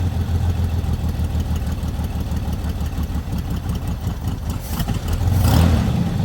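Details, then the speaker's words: Lowrider V8 after fixing an oil leak from the dipstick: even, steady idle with a smooth low rumble, no misses or knocks, settling faster than it used to; normal idle. "all right now as you can see it doesn't actually take as long to uh idle as it used to"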